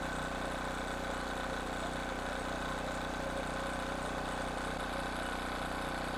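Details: King Canada 1500 W generator, Chinese engine: steady, even buzz at constant speed, no surging or hunting; running back to normal.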